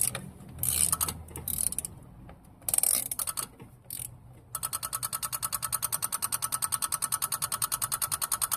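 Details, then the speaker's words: 1988 Chevy Caprice Classic, original 305 V8, battery at 90% charge, cranks but won't start: light, even clicking about three per second from somewhere at the front of the engine; source unknown. "I'm hearing clicking sound over here somewhere in the front. I don't know where it's coming from."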